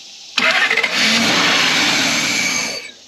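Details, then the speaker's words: 1991 Lexus LS400 that sat about 11 years, cranked on starting fluid after the timing was corrected: catches and roars for about two seconds, then dies as the fluid burns off; the engine now fires, timing appears right. "I would say it sounds like the timing is working. So, um, that's awesome. Um, cool. All right, guys. As you just saw, it is now running. It's actually firing now, which is more"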